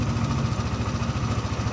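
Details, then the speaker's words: Yamaha NMAX scooter that died suddenly after starting and had a non-working starter, after fixing a poorly connecting socket: even, low putter of the small single at idle, steady firing with no misses; engine itself fine; normal idle. "Motornya nggak ada masalah dari permasalahan utamanya itu dari soketnya hubungannya kurang"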